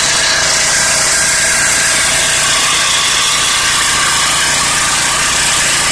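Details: Small 4-stroke generator engine, after elbow replacement and capacitor swap (original 24 µF replaced by a 20 µF ganged with 4 µF for 24 µF; engine ran but gave no output before), running steady and even with no knocks, misses or surging; healthy.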